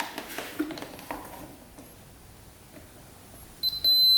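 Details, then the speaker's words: 2005 Yamaha Grizzly 660 ATV that won't power on, crusty fuses tested with a multimeter: quiet handling, then a steady high-pitched continuity beep, so the fuse is good. "All right. All fuses are good. I could hear the beep on each one."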